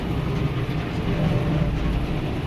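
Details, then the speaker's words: Kubota M7060 tractor, about two years old, with RCF3010 brush hog cutting larger brush in a cow pasture; deep, steady diesel drone staying heavy as it digs into thicker brush, working harder; normal labouring under load. "can hear that tractor's working a little bit harder now, but we are eating a little bit bigger product."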